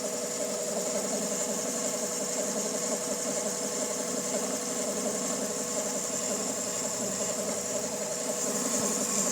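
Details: 2000 Honda Civic EX, rebuilt D16Y8, idles unevenly with busy clatter and a faint high whine; owner suspects cam pulley, timing tensioner or bearing; mechanical timing appears correct.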